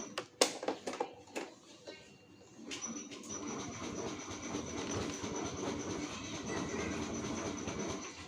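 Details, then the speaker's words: Honda Moove scooter that is hard to start after being parked, battery recently charged but weak: key and switch clicks, then a long starter whir with a thin whine that never catches; kick start also fails. "ทีเราขับไปจอดไว้เฉยๆแล้วพอสตาร์ทใหม่ปรากฏว่าสตาร์ทติดยากนะครับ"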